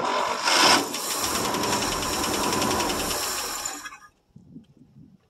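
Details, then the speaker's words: 1963 International C120 4x4 pickup, 266 V8, cold start after about three years sitting, gas poured into the carb: rough, uneven running for about four seconds then sputters and dies as fuel runs out; runs only when fed fuel. "it did take a start it does run if you feed it"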